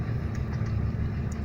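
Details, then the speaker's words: Peugeot 206 1.4 cabin blower fan running: rough, fluttering low drone from loose debris caught in the fan. "Olha só o barulho que o meu ventilador do ar frio faz"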